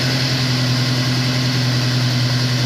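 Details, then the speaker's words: Honda S2000 after the No. 1 coil pack melted and stalled it on the highway: second start after the fix settles into a smooth, even low idle hum with steady pitch and no misses or knocks. Normal idle. "i'ma let it idle for a little bit it sounds much better that first start was a little rough the second started sounds a lot better"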